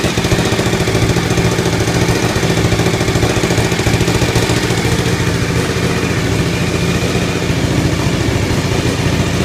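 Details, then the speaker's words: Suzuki TL1000R twin, first startup after four-month restoration: loud, uneven, fairly high idle with ragged stumbling beat, popping and hiss; exhaust leak with gasket not yet fitted, owner suspects missing donut; white smoke after sitting. "Blew out a lot of white smoke from the exhaust, but I guess that's normal for not running. Sounds strange though."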